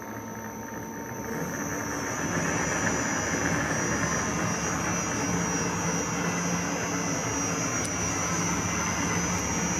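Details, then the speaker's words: Victor lathe running on a new VFD with speed control, after a new pulley and brake drum fit-up and brake band realignment. A smooth, even motor hum with a steady high tone that settles and holds, no knocks or rubbing; it runs healthy. "bake so everything's functioning beautifully"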